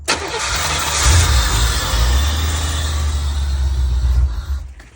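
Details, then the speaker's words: 1985 Chevrolet C4 Corvette with 250k miles, first start in years using the starter fluid trick with a new fuel pump priming: it catches at once, runs rough about four seconds, then dies; low fuel or a fuel pump issue is suspected. "it's about to go dead oh man all right well let me try it again it runs we'll do it one more time"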